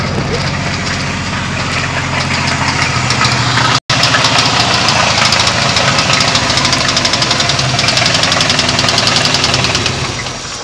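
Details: Chevy LT1 V8 idling with a rapid, uneven rod knock under the exhaust, typical of a worn rod bearing; the owner is building a forged 383 to replace it.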